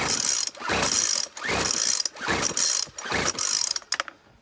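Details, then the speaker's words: McCulloch T55 CLS line trimmer with fresh fuel, ignition on, start position, primed with fuel reaching carburettor: five quick rope pulls, about one a second, never firing; cranks but will not start. "I've primed up the fuel you can see there's fuel pumping into the carburetor but it just does not want to stop give you an example"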